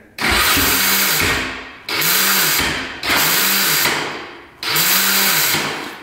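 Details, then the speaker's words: 2007 Honda TRX450 quad: four short bursts of a high whirring electric starter that spins freely and winds down without turning the engine over; the one-way starter clutch bearing is suspected of slipping. "so as you can see the starter just spins It's not catching at all so I'm thinking it's a one-way bearing"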